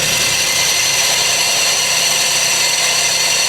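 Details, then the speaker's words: Auction car at idle with non-working AC: steady, harsh, high-pitched scraping hiss over the idling engine, confirmed as the AC compressor rubbing. "You can hear it rubbing. Where is it coming from, though? Uh, sounds like it's coming from over here. Oh, I think I see it. I think it's the air compressor."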